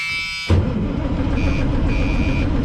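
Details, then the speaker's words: White GMC diesel truck while cranking: a thin high buzz in short bursts under the cranking rumble. The shutdown warning buzzer sounds every crank, source and cause unknown; owner suspects air leaked in and lost fuel prime. "every time i go to crank this thing the old shutdown buzzer is up here buzzing for some reason in here and i don't know where it's coming from"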